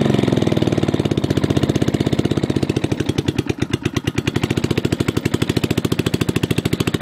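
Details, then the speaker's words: MTD 5hp rotary tiller running after sitting about 7–10 years on old gas, new plug, points and condenser, carb untouched: very loud, sharp, slightly uneven blatting exhaust because muffler rusted through, nearly straight-piped; runs rough. "and it was running on seven-year old gas it is extremely loud"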